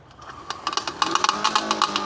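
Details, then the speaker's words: Luba robotic lawn mower with stuck buttons, mowing switched on in manual mode: rapid, uneven sharp ticks and clacks over faint motor hum as blades hit the ground; mower blades striking ground. "The blades are hitting. So, this is a new problem that we're going to have to check out."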